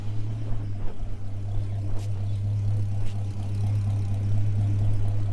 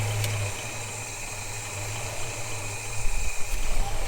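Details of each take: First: Holden HK with a freshly installed engine, ignition not yet timed and probably too advanced, gives a steady, low, even idle with no knocks or misses. It sounds quiet and healthy. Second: Holden HK with engine just installed, idling: light, loose rattle riding over the low, steady run; it's the PCV valve rattling.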